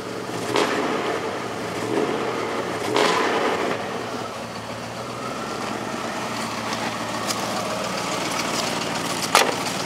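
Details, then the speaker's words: Ford F-150 after engine swap (rebuilt short block, new small cam), still cold: steady low idle with soft even pulse, no knocks or misses; background clatter is the AC idler; healthy. "And it even sounds good. Sounds about even. Small cam that's in it."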